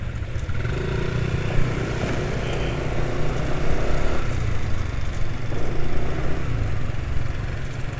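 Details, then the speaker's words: Scooter engine with fresh Ultraline 2T side oil used as engine oil: smooth even burble, revs fall gently on throttle release, not quickly as with the old Rock Oil at about 120 km; normal idle. "yang jelas Suara mesinnya halus ya jauh lebih halus daripada kemarin ya karena kemarin olinya sudah waktunya ganti ya"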